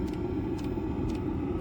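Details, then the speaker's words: 2024 Ram ProMaster camper van with a Velit 12V heater, mic right beside its fuel pump under the van near the exhaust muffler. Sharp, even clicks twice a second over the heater rumble; normal fuel pump clicking, barely audible inside the van. "You can hear the clicking of the fuel pump. I'm pretty close to it, so it's loud here. Uh, inside the van, I can barely hear it."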